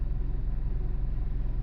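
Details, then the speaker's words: 2001 Ford Focus, 113,000 miles, idling: a low, steady pulsing bass rumble; suspected minor exhaust leak (code reader shows a small exhaust leak), possibly a loose motor mount; it got louder once moving. "So you can hear when I'm sitting here idling, it is just a little bit of a rumble."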